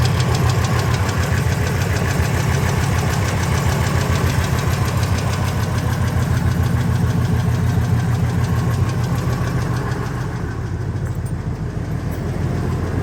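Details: Ford F250 V10 at idle after header and injector install: sharp even tick three to four per second over low rumble, considerably quieter than before; owner suspects a lash adjuster/lifter or rocker arm problem, unconfirmed.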